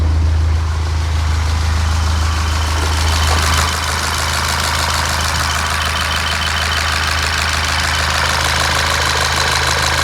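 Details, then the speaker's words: Freshly rebuilt 2012 VW Golf GTI Mk6 2.0 TSI, new timing chains, first runs after refilling 50/50 coolant, idling: fast light ticking about three per second over the engine hum; owner unsure of source, suspects something rattling at the back. "I was a little bit concerned about a couple of things which was worrying me so the I heard this ticking up on the brakes seems to drive fine maybe there's something rattling at the back not sure"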